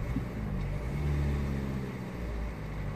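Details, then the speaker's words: 2003 Renault Megane II 1.5 dCi diesel, shaking up to about 3000 rpm, smoking, low power, cylinder 2 misfire fault DF060, injection fault under load: note turns rough and stumbling as revs climb; misfire under acceleration. "so the complaint for the misfiring sort of imbalanced and G engine when you are here hiding I can easily feel it as soon as I press the accelerator the"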